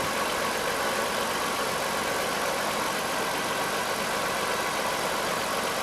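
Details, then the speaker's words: 1998 Dodge Caravan after replacing the rear spark plugs and spark plug wires: engine starts and settles into a steady, even idle with no stumble or misfire; normal idle. "it sounds pretty good you write back my friends okay there's no mixed fire you heard it started there's running good"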